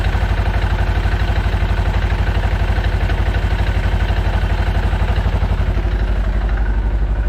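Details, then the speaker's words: Segway side-by-side after primary clutch engine seal replacement and clutch reinstalled: steady low idle with light even rhythmic clank about three a second; normal CVT clutch noise, though water pump weep hole drips antifreeze. "Clutches have always been kind of noisy, so I'm not going to worry about the little bit of clanking going on there, because they always make that noise."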